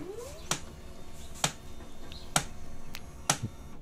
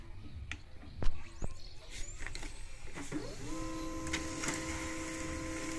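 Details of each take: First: HP LaserJet 136w laser printer at power-on: sharp loud clicks about once a second over faint whir; hardened waste toner binding the drum unit of the 110A cartridge. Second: HP LaserJet 136w/136a laser printer after refitting the toner cartridge: a few clicks, then a smooth, steady hum with no grinding or squeal; running normally.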